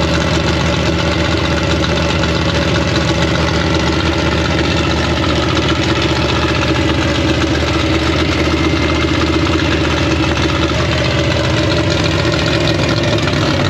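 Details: 1956 Chevy V8 with new Tri-Five headers, start after a year-long rebuild: steady even idle, firm regular thump, no misses or knocks, timing checked and sounds about right.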